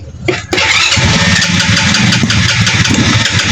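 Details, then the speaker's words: Rusi 110 cc motorcycle before repair: it catches and sputters unevenly, misfiring, backfires and won't keep running until the battery runs down; a weak spark from a wet, rusted high-tension wire and corroded plug cap was later found. Finding: misfiring engine that won't keep running. "Palyado palyado siya pero kanina trinay ko talagang napakalakas ang kanyang backfire. So ngayon ayaw parang ayaw magtuloy ng kanyang andar."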